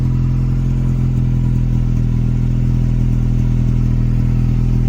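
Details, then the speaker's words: 2.0 EcoBoost Ford Ranger just restarted after a new high-pressure fuel pump, no downpipe, O2 sensors unplugged, no coolant. Loud, raw, deep drone, steady with no misfire or knock. It briefly broke up earlier, then cleared, and now runs decently. "Let's see. Seems like it's running decent otherwise. Once I get that downpipe on there, I will be able to hear what's actually going on."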